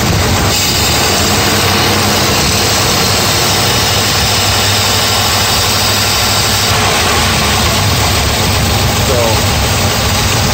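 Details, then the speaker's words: 1984 Mercedes 380SL after idle control fix: steady even idle around 900 rpm, down from a stuck 1500 rpm high idle caused by the idle controller/air control valve; no surging, normal idle. "anyway the high lidl is fixed you can hear it here"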